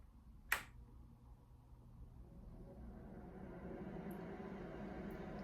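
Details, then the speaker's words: Vintage 1950s-60s electric suitcase companion reed fan organ switched on: click, then low fan hum swells over a couple of seconds and settles into steady even blowing; normal blower start-up. "And it wouldn't make any sound until you turn the instrument on. Let's see if we can hear the fan start up."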